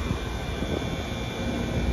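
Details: 460-volt York heat pump condenser after new fuses, about five amps per leg: steady low hum with a faint constant tone, no knocks or rattles; condenser running normally.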